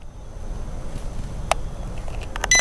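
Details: Helifar H815 mini folding quadcopter, 1S 200 mAh battery, 6 mm motors, controller bind sequence (stick up and down): a few light plastic stick clicks, then a short clear high beep as the craft binds.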